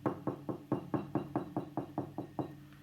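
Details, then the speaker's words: EL84 power tube in a Vox AC30HW2 or Fender Vaporizer amp, tapped with a pen about twice a second: each tap sets off a short ringing metallic ping; microphonic worn tube, fix is fresh EL84s. "of course the solution is to get some fresh el84 tubes and put them in hit it with the pen make sure they're not ringing and you're all good"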